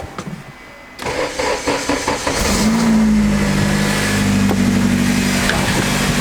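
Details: Turbo K20-swapped Acura Integra, first start after turbo install and fixing a loose battery-feed terminal: crank, then clean catch into steady, even idle with a faint tone on top; starts and settles normally.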